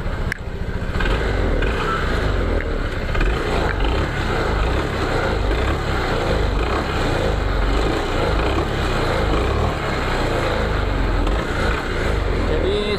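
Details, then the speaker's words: 2021 Honda PCX 160 scooter idling, complaint of a rough noisy CVT that also judders on sudden throttle: fast clacking rattle from the front pulley area of the CVT, loose front pulley roller cover; fixed without replacing parts. "kasar di bagian CPT seperti ini saat langsam kakkklak gitu ya atau saat ditarik gasnya mendadak"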